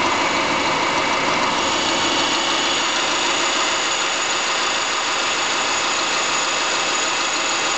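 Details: 2005 Subaru Forester with naturally aspirated EJ25, two years old: busy light ticking over steady idle with hard rattle-like knock about three per second; owner suspects piston slap, not confirmed.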